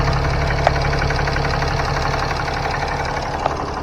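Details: 2015 Ram 3500 6.7L diesel idling after turbo wastegate actuator replacement, coolant at 131, gassed a little. Steady, even idle with light injector clatter, no misses or surges. Normal idle.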